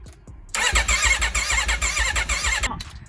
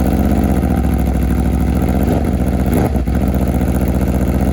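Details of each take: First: Wrecked 2021 Aprilia RSV4 being revived on a chilly day with a fully charged battery and fuel, in neutral: starter churns in quick, even pulses for about two seconds but it never fires; it cranks without starting. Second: Wrecked 2021 Aprilia RSV4 V4 being rebuilt, first run on a chilly day without coolant: steady, even idle with a smooth, regular beat, no knocks, misses or smoke; suspected corroded piston rings seem not too bad.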